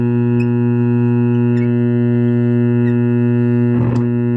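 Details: Lafayette vintage tube radio with magic eye tube, first power-up with suspect power cord before restoration: loud, steady low buzz under faint radio sound, diagnosed as a bad power-supply filter capacitor.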